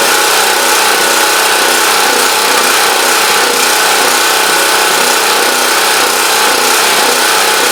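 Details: Champion Dual Fuel 3500 W generator running after carburetor cleaning cured a no-start, started on full choke; constant buzzy drone with even speed, no hunting or surging, deemed normal though possibly a bit rough as usual.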